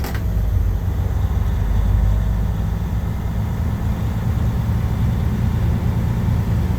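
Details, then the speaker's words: Truck in pre-trip inspection, diesel held at about 1000 rpm to build air pressure to 100-125 psi until governor cut-out: deep steady drone at constant raised revs, no misses or knocks; air compressor building pressure normally. "and you may be wondering well how will i know when the air governor kicks out it's a distinct sound you hear it go which it just kicked in and did that so we're good to go"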